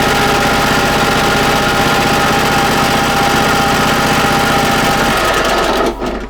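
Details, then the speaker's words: Snapper Pro SW30 52-inch with Kawasaki 651V, used, unserviced, oil level uncertain: even, rapid engine chatter holding steady speed for five seconds then shut off; it only needed a battery to fire up and runs normally. "all it needed to fire up was a battery and I got an extra 500 off basically for that"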